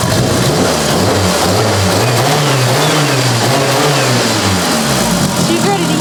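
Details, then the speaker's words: Mitsubishi Lancer Evo 8, abandoned-car restoration, first start with new ECU, heard near the manifolds: revs rise and fall smoothly with clean pickup, no knocks, rattles or misfires; healthy-sounding engine. "okay holy crap honey it sounds amazing yep Immaculate work thanks Guy"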